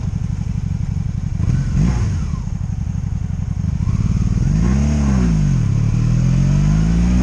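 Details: 2002 Honda Magna VF750C, warmed up, on its first non-stop test ride after it previously died in gear: steady, even firing pulses through repeated revs and rolling on and off under load, no misses, ignition cuts or bucking; normal running.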